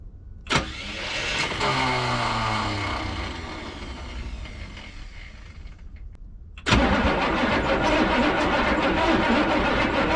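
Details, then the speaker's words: 1986 Chevrolet 1-ton dually, gas-to-6.2 L Detroit diesel swap, abandoned 22 years: two long bursts of even starter cranking, about two turns a second, no firing; driver's side injectors dry. "oh yeah the driver's side injectors are pretty dry right now this side is where we were having all the fuel issues so it is pretty wet over here we'll crank it over a few times and then see if we start getting any wetness over here"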